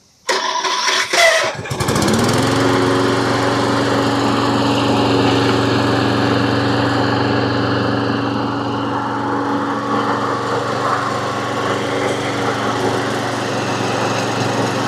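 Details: Troy-Bilt self-propelled push mower, Briggs & Stratton engine, after repairing a no-compression fault: electric starter whirs, engine catches within two seconds, then settles into a steady, even drone with no misses or knocks.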